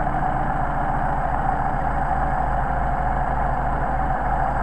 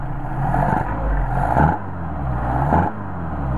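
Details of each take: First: Mercedes 190SL with rebuilt Solex carburettors on test: idle mixture screw turned far out to the over-rich extreme, engine idles with uneven lumpy beat and occasional stumbles, before finding the best midpoint. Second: Mercedes 190SL with rebuilt, tested Solex carburetors, idle set around 750–800 rpm and linkage adjusted: steady low idle with three quick throttle blips, revs snap up and settle back without stumbling. Normal throttle response.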